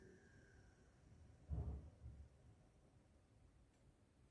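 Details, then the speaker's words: 1972 Electrolux Z310 cylinder vacuum cleaner switched off after its fans were cleaned and lubricated: a switch clunk, then a faint whine fading away smoothly with no rattle or grind. Quiet, normal motor wind-down. "Right, we'll turn it off and you can hear the quiet wind down."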